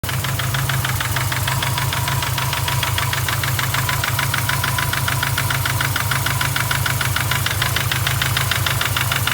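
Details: Newly built forged EJ25 flat-four with forged pistons, new rods, camshaft and bearings, cold idle: steady quick ticking about three a second from passenger side over low rumble, going away once engine warms up.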